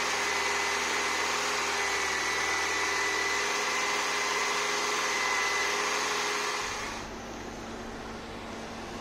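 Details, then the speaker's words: 1984 Citroën BX after replacing the original seized thermostat that caused overheating and coolant spraying: steady, even idle with whirring hum, tone shifts near seven seconds as cooling fan switches over; no coolant leak, healthy. "you can hear the fans just kicked in and we don't see a pool of coolant which is good news"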